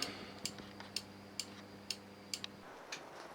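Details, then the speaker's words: Honda Express NC50 moped, engine running, homemade LED indicator circuit with smoothing capacitor added; crisp relay clicks about twice a second over a low engine hum. Indicators now flash at a steady, regular rate. "so now the engine when you have the engine running these the indicators are stable they give a regular flash"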